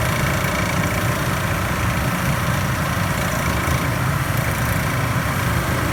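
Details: Panda PAN760SF 3.75 cu ft portable dryer, after replacing the fan belt: constant coarse grinding with a fast rattling chatter underneath, steady throughout; faulty drive motor, solved by a replacement motor from the maker.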